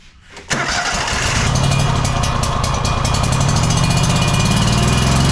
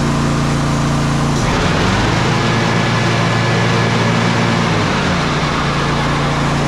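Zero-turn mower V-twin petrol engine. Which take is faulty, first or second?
first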